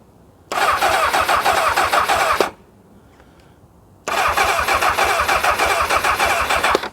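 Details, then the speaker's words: 1999 Kawasaki ZX6R with a bit of choke: two bursts of steady starter cranking, about two seconds each with a pause, never fires. The owner did not hear the fuel pump prime and suspects it; spark is unchecked, plugs under the airbox. "Well, we have a turnover. Now my concern is that I didn't hear that fuel pump start at all."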